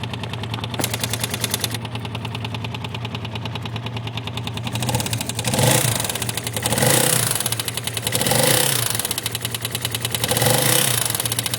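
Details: Yamaha X-Max scooter: loud engine with a fast, steady ticking knock that swells as revs rise and fall; abnormal internal noise, cause unclear.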